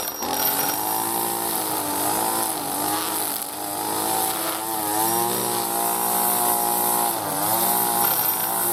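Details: New B&Q 25cc petrol two-stroke strimmer cutting grass after a choke-assisted start with choke now open: a high buzzing whine dips and recovers each time the line bites grass. Normal running under cutting load.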